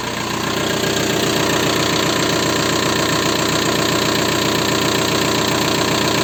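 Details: VW 1.9 TDI diesel (ALH/AGR/ASV/AHF) knocking after oil change: loud idle with steady knocking clatter about 2.5 per second; worn hydraulic lifters and piston slap, oil changed only every 30,000 km; lifter replacement nearly cured it.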